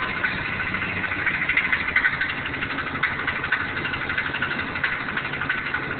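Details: 4L80E transmission with suspected torque converter issue: rough, uneven knock about three times a second over the idle, traced to a cracked flexplate between engine and transmission.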